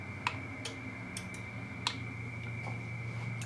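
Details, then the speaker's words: XPA125 auto antenna tuner with an IC-705 and 9:1 end-fed random wire, switched back to 40 m: scattered sharp relay clicks over a steady carrier as it runs a full retune again; owner suspects the tuner has no working memory. "All right, and it sounds like, because it went through all of that tuning process again, it sounds like there is no memory in this tuner, or if there is, it doesn't work very well."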